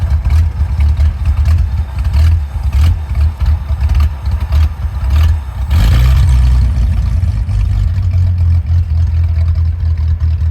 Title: Willys rough idle